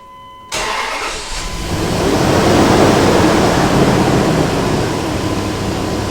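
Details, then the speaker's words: Dodge Durango 4.7 L V8, new mechanical fan clutch just installed, cold start: engine catches, loud steady whooshing fan roar from full lock-up builds over idle then eases off within about half a minute; normal. "now the thing should run in the full lock up position so the fans gonna roar for a while but after a couple minutes of running it should settle down to a lower rpm as the fluid begins to settle into the different areas which it needs to be"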